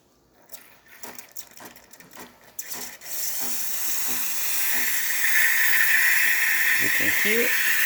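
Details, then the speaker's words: Breville espresso machine after a full service and factory reset. A few clicks, then a strong, steady steam hiss that builds and holds without sputtering: heavy steam with excellent temperature and pressure, and the wand stops automatically. "the steamer is definitely working. Nice heavy steam coming out of the one. Excellent temperature and pressure coming out of the steamer."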